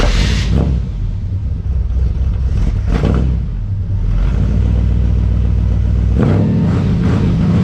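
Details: 1963 Chevrolet Impala V8 after a 9,000-mile road trip, started cold: no surge this time but it won't settle to an idle. Idle was adjusted repeatedly for elevation; owner suspects the electric choke needs adjustment.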